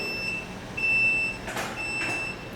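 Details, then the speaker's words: Solax Transformer automatic folding mobility scooter folding on its button: clean high beeps about once a second over a soft motor whir. It pauses halfway as a safety stop and needs a second press. Normal folding beep. "this scooter will fold halfway and it'll stop and you'll see right there when it stops holding it's for protection in case something was stuck under there so you just have to hit the button again it'll keep folding"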